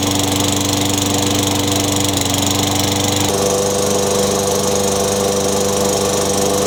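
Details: Tecumseh 6 hp on a discarded Craftsman 22-inch mower, after a new Champion RJ19 spark plug: steady even constant drone with no misses or surging; healthy, no smoke or oil-burning smell.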